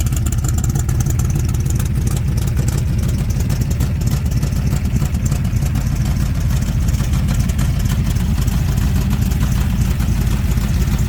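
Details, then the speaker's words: 1996 ERA 1965 Cobra replica, fully rebuilt big-block V8 with new Holley vacuum-secondary carb and distributor after restoration; deep, loud, lumpy rumble at steady idle, no knocks or ticks; normal healthy idle. "So with that, I'm going to fire this baby up. You get to hear the sound of the big block."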